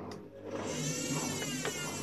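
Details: Washing machine retested after the motor brushes were checked and a breaker tripped: a soft motor whine climbs, then holds steady over a light hum; owner calls the noise odd but normal, and the drum motor spins up.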